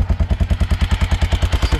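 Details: Honda Dominator 650 single with a broken engine, on the road: loud heavy thumping at about eight beats per second with a hard clatter each stroke, far louder than normal; rider keeps stopping to let it cool.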